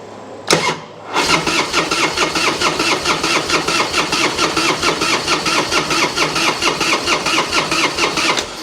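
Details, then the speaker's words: 1999 Harley-Davidson Road King EFI revival, started after cycling the fuel pump to purge air: short crank, clean catch, steady even V-twin loping idle without misses, revved to 1500–2000 rpm; charging system working, normal start and idle. "1500 RPMs, 2000 RPMs, so that's great, that's perfect."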